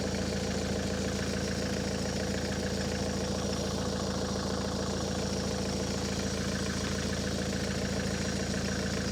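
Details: Ford S-Max 2.0 TDCi diesel, 2010, about 80,000 miles, idling after a fuel filter change and priming. Even diesel clatter at a steady idle, no hunting or stumbling, hasn't cut out despite possible air, no leaks seen: normal idle.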